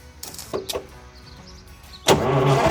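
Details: 1970 GMC Astro semi, 6-71 inline-six Detroit Diesel, sat over 30 years: quiet two seconds, then catches and settles into a loud, steady idle running on its own, barely smoking.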